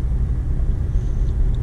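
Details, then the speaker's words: Used car for sale on test drive, slow neighborhood speed around 25 mph, stopping: steady low road rumble with no squeal or metallic grind, no brake pedal pulsing; brakes quiet and healthy. "We came to a stop and I didn't feel any pulsing in the brake pedal. It sounded good, no loud metallic noises or anything."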